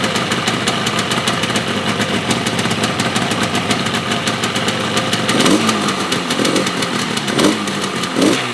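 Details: Yamaha RD350 two-stroke twin, abandoned about 10 years, idling while the oil pump is checked and working with throttle. Ragged idle with irregular popping and a few stumbling blips near the end; it runs unevenly, cause unclear.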